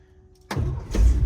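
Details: 1982 International 1624 tow truck with 345 small-block V8 and 4-speed, unknown history, restarting after fuel stop on 300 km drive home: brief crank catches quickly into a strong, even rumble, no stumble or sputter; normal start.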